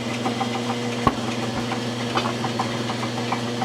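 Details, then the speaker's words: Lathe flat belt drive after quieting the spliced belt with heat shrink tubing: steady low motor hum with faint bearing whir, no more rhythmic clicking; normal belt drive running. "I mean it's uh a lot quieter and there's no more click click click click click click click"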